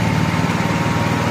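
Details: Honda EXW171S gas welder/generator after fuel system restoration; ran a little weird the day before, owner thinks the choke made the difference. Short steady single-cylinder run, even firing without knocks or surging; sounds healthy.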